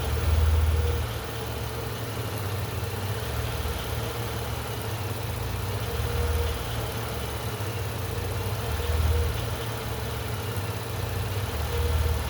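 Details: Petrol engine idle surging from a large vacuum leak made by disconnecting a roughly 1-inch resonator tube from the intake manifold; slow rising and sagging hunt while the ECM compensates for lean fuel trim and the O2 sensors switch lean to rich.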